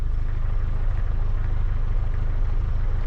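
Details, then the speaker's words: Truck with rebuilt transmission, warmed up, carburetor idle at factory setting of one and a half turns out: deep slow thrumming idle with soft uneven pulses; idle a bit too low, may be adjusted faster. "it's almost a little too low of an idol maybe I just should adjust it to be a little bit faster"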